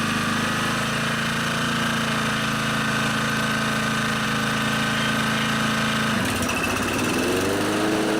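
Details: Honda HR215 lawnmower after slow-jet cleaning and fuel tank/system cleaning to cure surging: constant pitch, then smooth change to a new steady speed without hunting; no surge remains, normal running.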